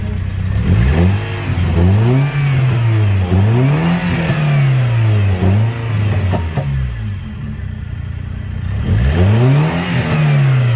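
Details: BMW M43 petrol engine after its misfire was fixed, blipped up and down repeatedly, climbing and falling cleanly with no stumbles; normal revving.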